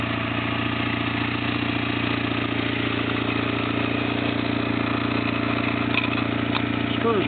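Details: Restored 1997 Kawasaki 600 Eliminator with 2800 miles, which sat broken for 2 years; smooth, even idle with a steady beat of around three pulses a second and no misses or knocks, running healthy.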